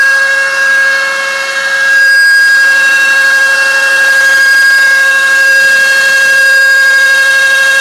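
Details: 2001 Chevy Impala: a steady high-pitched whine at constant pitch from the driver's side of the engine bay, mostly after sitting or with the AC on. The cause was a bearing in one radiator cooling fan; replacing the fan cured it.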